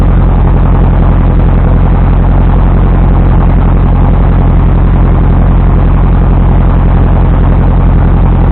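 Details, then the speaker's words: 1973 VW Thing restoration first start, fuel from a gas can; loud low chugging at fairly steady beat with uneven lumpy pulses and hesitation; running rough as air-fuel mixture, choke and timing were not yet set. "Air fuel mixture and choke and whatnot were not really where they needed to be, but it got it running. It had a little hesitation in it, but it got it started."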